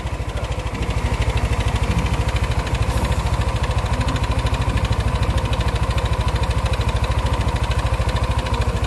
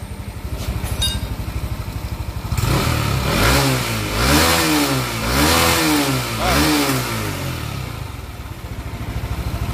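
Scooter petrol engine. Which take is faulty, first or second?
first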